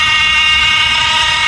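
A loud, steady high-pitched whine holds at one pitch with no change in speed; the noise is from the electronic thermostat.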